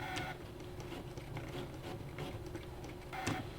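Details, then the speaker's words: Brother ScanNCut etching hard acrylic with the black auto blade and half-cut on: light uneven ticking and clicking in a quiet room as it etches twice; normal cutting operation. "something's happening what's that Noah you hear that clicking noise scared it's working"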